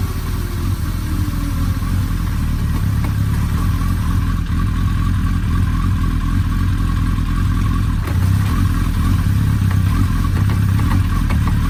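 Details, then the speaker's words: Suzuki Hayabusa idling smoothly with a deep steady burble and no rattle or grinding, after disassembly to trace a loud worrying engine noise; gear engaged, clunks are normal rear transmission lash, before road test. "voilà on a passé la vitesse est là un voyage à l'air de mieux fonctionner sans bruit bizarre le club vous entendez ce assez c'est normal c'est les à coups de toute la transmission à l'arrière"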